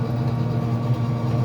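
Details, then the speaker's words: Traeger pellet grill after control board replacement and rewiring: smooth, even low hum with steady pitch, no rubbing or ticking; an orange wire that had been touching the fan was moved, fan now free and auger spinning normally. "now the fence is free and it operates way it's supposed to [Music] be so the augre is uh spinning"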